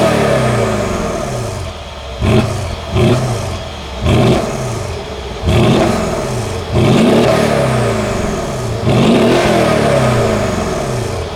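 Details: Mercedes AMG SUV loaner, driven while the owner's 2017 C63 S is at the dealership for a noise: V8 fires up, several sharp blips rise and fall cleanly with a deep even burble between them; sounds healthy.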